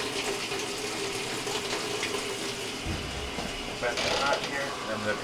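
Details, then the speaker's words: GE top-load washer WJSE4150BZWW that would not fill with hot water, after replacing the WH13X10024 inlet valve: an even, full hiss of hot water rushing into the tub without sputter, now filling properly. "everything looks fine there we're going to let it fill up let it agitate and make sure the machine is going to function properly"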